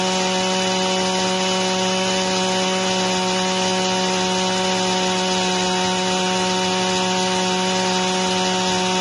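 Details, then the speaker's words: Echo 225 two-stroke string trimmer restarted after an overlong string had pulled the revs low: a fast buzz holding high but drifting up and down. The revs are hunting and the tank should have plenty of fuel. Owner suspects the carburetor diaphragm but is unsure. "But did you hear the RPM change? So I don't know what's going on with this thing. Probably just that carburetor diaphragm."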